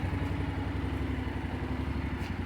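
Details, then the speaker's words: Honda NC 750 X DCT motorcycle, battery needs charging, filmed on a budget phone: soft, even twin-cylinder burble at idle, steady rhythm, no knocks or misfires; idles cleanly. "Po prostu jakby w ogóle nie chodził ten motocykl przy odpaleniu ale chodzi sobie ładnie"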